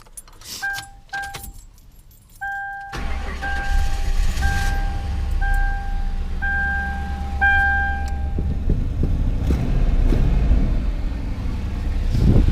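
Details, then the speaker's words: Warm Ford Crown Victoria after removing and cleaning the idle air control valve, owner suspects it was a little clogged; door chime, cranks, catches and settles into steady, even low idle with no surging or stumbling; earlier noise gone. "now I don't know if you guys can hear but it's not doing it now so I think my idle air control just a little clogged up"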